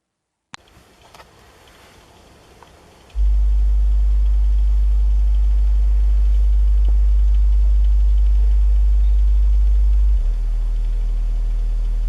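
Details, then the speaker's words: Polk PSW10 subwoofer after removing the metal port insert, low-frequency sweep 50 down to 25 Hz: deep steady tone with no chuffing or rushing air; normal output without port noise. "So you'll hear how that sounds without the port noise, and I'm going to try to recreate a little bit of port noise by sticking my hand in the port."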